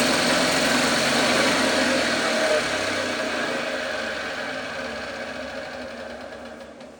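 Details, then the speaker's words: 1954 Lawn-Boy RPM 8FH13LB two-stroke mower, dormant 50 years, first start after carb cleaning: high flat-out buzzing unchanged by the controls, slowly fading; air leaking at the loose carb throttle, engine running away. "It just I feel like I have no control over the throttle and I need I feel like this throttle is just super loose and there's air leaking through here which is just making it kind of run wide open."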